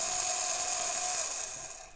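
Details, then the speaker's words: Vintage Triang/Hornby model railway locomotive, stored in a shed box for years, run in reverse direction: thin steady high whine, then winds down to stop; motor running normally. "Well, there's a shock. Something that's been in a shed, in a box, for years, and it still runs."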